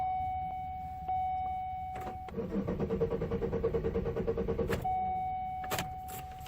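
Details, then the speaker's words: 2002 Chevy Malibu in a crank-no-start condition: the starter spins the engine steadily at about three pulses a second, but it never runs. An earlier boost attempt failed, a P0420 code was read, and the cause is unknown; the owner hopes it will start later. "Guess not. Okay. Well, hopefully it'll start in an hour or two."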